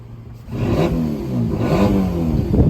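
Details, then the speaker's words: Crashed Ford Ka with no back box fitted: engine blips up from idle with a loud, raspy, open-pipe roar rising with revs; the owner suspects the exhaust is corroded before the back box or disconnected from crash damage. "basically a straight through pipe sort of thing there's just no sort of back box on there so I think it's uh either corroded uh before the back box or it's disconnected something like that in the damage"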